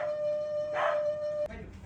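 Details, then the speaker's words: Daewoo refrigerator whistling and humming for about a week; steady high whistle from the fan stops sharply when the fan connector is unplugged, leaving low hum; condenser and compressor area also clogged with dirt. "Так, ну, причину свиста мы обнаружили, как я и подозревал, что проблема у нас с вентилятором. Вентилятор фишку вытащил вентилятора. Всё, шум пропал."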